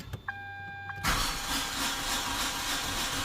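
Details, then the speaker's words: 2008 Hyundai, towed in, has spark and fuel prime: dash chime, then starter cranks the engine steadily but it never catches; crank no start from a broken timing belt. "all right so there you go you can see that it won't start so to me first thing when I heard that sound that's not a good sound"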